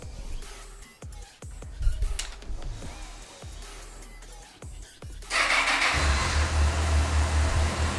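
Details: Honda CBF1000 motorcycle with 46,748 miles starts after a few clicks and settles into a steady, even low hum with no knocks or rattles: normal, healthy idle.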